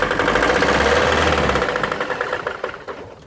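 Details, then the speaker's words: GAZelle with Steyr 560 2.1 diesel engine running with heavy, regular metallic knock from failed connecting rod bearing (rod knock). "Вот этот стук означает, что стуканул мотор. Шатунный вкладыш."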